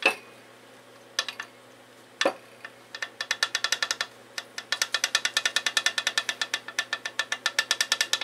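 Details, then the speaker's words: 1994 Briggs & Stratton Raptor 5 hp engine teardown, bore about 2.6 in: sharp metallic clicks, about five a second, as the crank is rocked by hand reveal excessive connecting rod play; engine needs a complete overhaul. "rod's loose. And that's not good. I don't like when I hear the rod loose in this engine. This engine is going to need a complete overhaul."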